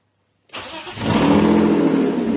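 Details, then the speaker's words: BMW E36 drift car, started after exhaust leaks were patched: loud, raspy idle that sounds the same as before the repair; exhaust still leaking, possibly from the front flange area, though no leak is felt there. "wait is it just leaking from the exhaust lamage up front it sounds like it's from here but I don't feel it"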